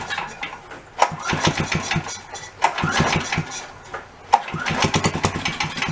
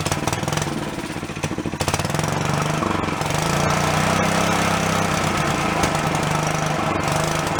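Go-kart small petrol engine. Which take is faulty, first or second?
first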